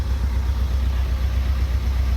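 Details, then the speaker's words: Fiat 500 Pop diesel with replacement engine, idling for about 50 minutes after an oil and filter change: deep, steady rumble at a slightly raised idle while on its third DPF regeneration, earlier regens giving plumes of white smoke, now barely any. "you can hear it now it's slightly rev it's actually on its third region we've been we left it running for 50 minutes and it's on its third regen"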